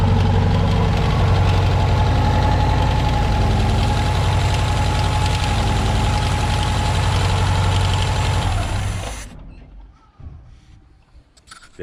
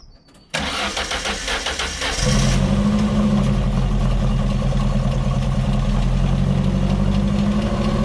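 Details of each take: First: Mark II Ford Fiesta XR2 with rebuilt Weber 28/32 TLDM carb: steady, even idle for about eight seconds, then the engine dies abruptly with no stumble as the solenoid cuts fuel, proving the faulty wiring caused the cutting out. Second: Ford Fiesta XR2 with professionally refurbished Weber 28/32 TLDM carburettor refitted and anti-run-on solenoid wiring fault fixed, solenoid now powered: cranks, catches at once, then settles into a smooth, even idle with a steady low hum and no stumbling; normal start and idle.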